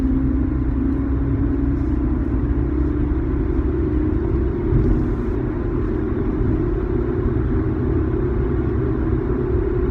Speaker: you can sort of hear that bearing making sort of howling noise I'm going about 50 km an hour right now and you can hear it kind of go like it's almost like a wooing noise that just see to sort of persists